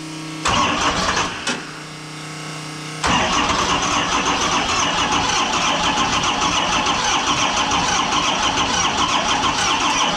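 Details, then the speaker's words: Cummins diesel swapped into monster truck, fire-up after fuel turned on; a couple of short cranks, catches at about three seconds, settles into a loud even rattly run; afterward oil blowing through and a possibly leaking injector noted. "i hope this works so just hang out here for a minute while i turn the fuel on and we're gonna fire it up"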